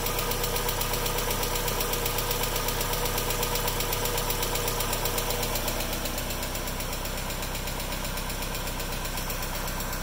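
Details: Mazda Miata that sat for a while, idling with a light, even tick about four times a second from the top end: hydraulic lifters ticking until oil pressure rebuilds after a few minutes of driving.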